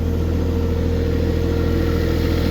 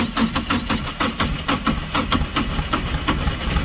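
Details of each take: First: Diesel tractor in winter, restarted after stalling on gelled or iced fuel, warming up before plowing snow: steady low rumble at constant idle, evenly firing, no misses, knocks or hunting; normal idle. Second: Diesel tractor in winter snow, plugged in, ran about a minute then quit; owner blames gelled or iced diesel, water in fuel despite winter blend and anti-gel, bleeding fuel: steady cranking with brief firing that never catches; cranks but won't keep running.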